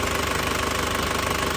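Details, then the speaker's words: Hot 2002 Panther LS Turbo diesel with automatic transmission and 130,000 km. Idle is an even, steady clatter with a regular pulse, stable with no stumbling or shaking; the characteristic sound of an older Panther turbo engine. "Untuk mesin masih halus banget, masih stabil banget ya, masih stabil banget, tanpa goyang sama sekali, masih pulen ya. Suaranya masih ciri khasnya Panther turbo, Panther mesin turbo yang tahun tua ya, masih ciri khas banget."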